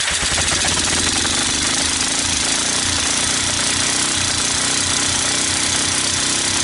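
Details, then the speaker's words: Fire-damaged Kawasaki Bayou 300 ATV, 60 PSI compression (120 with oil in cylinder), retimed valves, portable CDI, PZ27 carburetor, started on ether: rapid harsh uneven chattering while revved; rough running, owner suspects worn engine with low compression. "so it starts it runs it moves the valves seem to be sealing enough i think it's just worn out i think it just has no compression"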